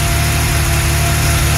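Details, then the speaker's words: Late-1970s Porsche 911 SC 3.0 L after CIS fuel system rebuild and alternator work, first start before CO tuning: smooth, even flat-six idle with steady low hum, no spluttering or hunting; the earlier fluctuating, spluttering morning idle is gone. "All right, start up. That sounds really good. We haven't even done the tuning yet, and that's already running"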